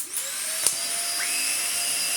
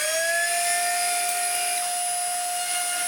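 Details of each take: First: Dyson DC50 Mark 1 small ball vacuum, about 10 years old, after new motor fitted and outer seal greased: steady high-pitched whine, no squeal or wavering; previous squeak cured, running normally. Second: Dyson DC50 Mark 1 small ball vacuum before its motor is replaced: harsh, steady high-pitched whine under power that slides down in pitch as the motor runs down. Motor has blown a bearing.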